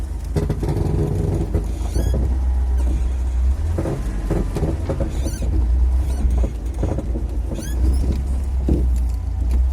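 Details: VAZ 2101-07 with engine idling, short squeaky creaks rising and falling as the steering wheel turns while manoeuvring into a garage; owner suspects worn ball joints.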